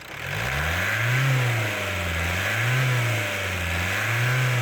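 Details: Ford Mondeo Mk4 1.8 diesel in limp mode with fault P2263 (turbo boost performance), after over an hour on a carbon cleaning machine; revs rise and fall about every 1.5 s, pulling harder as the sticking turbo actuator frees up.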